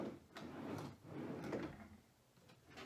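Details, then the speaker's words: New replacement drawer slides on a brand-new item: soft, even rolling hiss as drawer runs in and out, no scraping or catching, unlike the dragging original slides. "don't hear that here. That's the difference in quality of slides."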